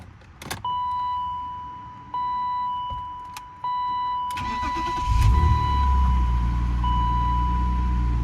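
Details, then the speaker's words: 1993 BMW E36 M3 long-abandoned, fully cold start days later: warning chimes, cranks and catches, then the idle misfires, rises and falls unevenly and stalls, with no ticking; owner suspects a vacuum leak. "Oh yeah. Misfiring, but no ticking, which is good. And now it's kind of stalled. So, it kind of honestly, the idle going up and down like that kind of kind of makes me think vacuum leak"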